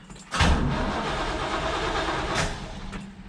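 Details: 1967 Buick Special/Skylark with an intermittent no-start, where power went dead while cranking: after unplugging and replugging the horn relay connectors it cranks briefly, fires promptly and holds an even idle; starts and runs normally.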